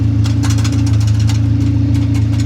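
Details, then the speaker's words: Hyundai at idle, much quieter now: steady low hum with loose uneven tinny rattles on top; loose heat shields now making the noise. "all this heat shield shit. That's what making the noise now."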